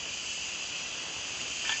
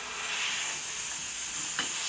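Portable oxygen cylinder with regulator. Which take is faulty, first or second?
second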